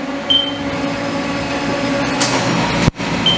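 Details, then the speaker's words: Haas CNC milling 4140PH steel with 4-flute end mill, helical ramp widening a hole: steady high-pitched squeal over spindle and coolant roar, cutter rubbing instead of biting; screeching from too shallow a ramp angle. "as you can hear it screeching pretty badly and the reason it's screeching pretty badly is because I am not engaging enough material"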